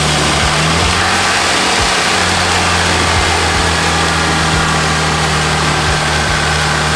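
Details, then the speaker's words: Lexus IS300 2JZ engine after installing new exhaust gaskets and M10x1.25 bolts to fix an exhaust leak: steady, deep, even idle with no puffing, ticking or raspy blowing; normal idle. "now that is more like it 2j sound good"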